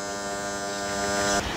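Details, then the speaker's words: Gottlieb Royal Guard pinball during a score reset after repair, reset motor switch 1A had been too widely gapped; steady electrical buzz, then scattered clatter; an alternating relay making noise, may need a look but barely heard with glass on. "we got an alternating relay relay there making a little bit of noise might have to have a little look at that but with the glass on you'll hardly notice it"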